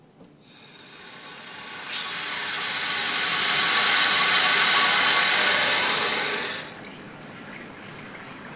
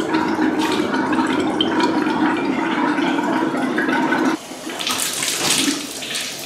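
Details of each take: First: Water heater after draining and flushing sediment: drain valve closed, cold inlet fully opened, temperature relief valve open; loud hiss of rushing water and air builds then drops as the tank refills normally, air escaping. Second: Hot-water faucet after flushing and refilling a water heater; irregular gurgling and spitting about four bursts a second, then steadier flow as trapped air purges.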